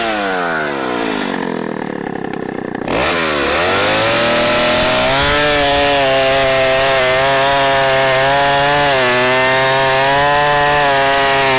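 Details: 44-year-old vintage Husqvarna L65 chainsaw with points ignition, brought out of retirement, cutting a big oak log; a strong steady two-stroke howl settles after a brief dip and holds even pitch. Lower rpm than modern saws but lots of torque.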